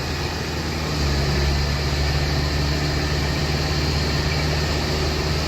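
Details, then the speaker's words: Ford Escape EcoBoost 1.6 with rebuilt 6F35 transmission using some 2.0 parts, manual shifting in sport mode through fourth, fifth, sixth to about 120: steady drone, no clunk, slip or flare; clean normal gear shifts after rebuild. "Sixth. One fucking 20. Yep. It works. Holy shit, it works."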